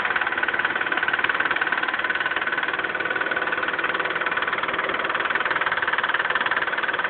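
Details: Mitsubishi 3000GT at idle: a sharp, regular tick about three times a second from the valvetrain. Owner suspects a lifter tick, with no oil reaching the left lifter and too much oil at the camshaft end.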